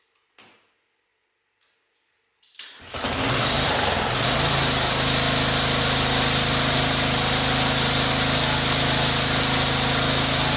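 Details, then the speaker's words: KLIPPO Pro 19 lawnmower, used: pull-start catches on first pull and settles into a steady even run; the fault is that after the first shutdown it won't restart until maybe half an hour or next day. "So depending on the weather, it starts on the first stroke, and when you first time stop it, so game is over. It won't start anymore."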